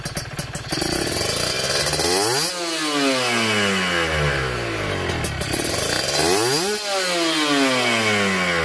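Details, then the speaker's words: Kawasaki Ninja 2T two-stroke, freshly finished special OB block with re-squished head and power valve (superkip) active: sharp, loud, raspy but even blips climbing fast and dropping back cleanly twice, louder due to a different X-hole; normal revving. "Nah ini suaranya memang lebih lantang ya, suaranya lebih lantang dari yang kemarin-kemarin karena ini lubang X-nya kita bikin beda ya."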